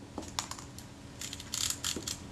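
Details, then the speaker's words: Retina IIC leaf shutter after cleaning, reassembly and backing off tight speed settings: a few crisp, clean, quick clicks with no drag or buzz; shutter now fires properly and sounds better. "oh yeah that sounds better"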